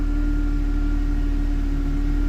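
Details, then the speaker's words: 2004 Mercedes C230 W203 1.8 supercharged at cold start after fuel pump pressure test (holding about 44 psi): steady high whine over fast, even ticking idle; owner says supercharger is loudest, quiet with belt off; suspects worn tension/idler pulley bearings. "The loudest thing on here when you first start it up seems to be the supercharger because if I disconnect the belt, the serpentine belt that runs everything, and I start this car, it's a very quiet car."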